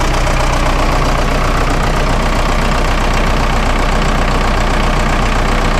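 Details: Auction-bought Vermeer 1800 chipper diesel, first start after sitting about four years: even clatter at idle, roughly four firm beats a second, steady with no misses or knocks. Normal diesel idle.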